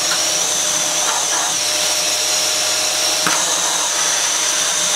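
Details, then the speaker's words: Dyson Cinetic DC54 after refurbishment, previously used heavily for DIY, running in max mode: steady rushing airflow hiss with even motor hum, no rattles, air rushing out when opened; normal vacuum suction. "oh you can hear the air rush out you open the so that works fine"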